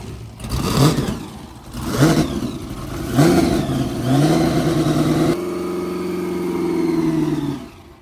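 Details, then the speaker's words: Blown V8 burnout car "Shut Up" at Northern Nats, test run before competition: three sharp throttle blips then a steady lumpy high idle, clean and even; no oil leaks, sounded on song. "No oil leaks. And she sounded fucking on song."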